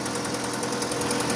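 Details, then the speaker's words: Opel Astra G coupé Bertone just after throttle body cleaning and intake refit (intake gasket still to do); fast light ticking, about ten per second, over a quiet idle right after start. Owner suspects a lifter needing to pump up, unconfirmed. "Non, pas un petit cliquetis là. On dirait un poussoir qu'il faut que ça monte."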